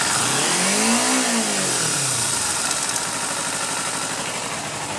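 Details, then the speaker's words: Kawasaki Ninja 250, recorded near the engine: light tick-tick ticking as revs fall toward idle after moderate or high revs off the throttle, louder when riding; owner unsure whether it is a problem. "It's a lot louder, I find, when I'm actually moving. So basically it's just like a tick tick tick tick tick tick as soon as it gets toward the bottom of the rev range."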